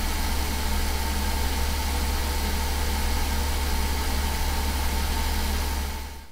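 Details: 2001 Mercedes S600 V12 started after ABC suspension valve block replacement and refilling ABC fluid: deep, steady, even hum with no knocks or stumbles until switched off; smooth, healthy idle, no leaks, and the car raised itself.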